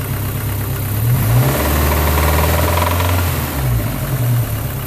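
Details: MG ZR 160 engine revved: loud, uneven clacking rising and falling with the revs, a big clack whose source the owner cannot determine.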